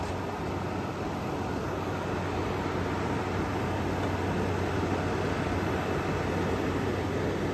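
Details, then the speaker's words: Frigidaire Gallery GHWQ103WC1 10,000 BTU air conditioner, 115 V, likely dual inverter, under a year of use, salvaged: soft even fan whoosh and faint low hum at low speed after condenser fan ramped down, no rattles; ice cold, very quiet, normal running. "this thing is ice cold this thing is so quiet it's incredible and for having not even a Year's worth of use on it this is totally worth the pickup"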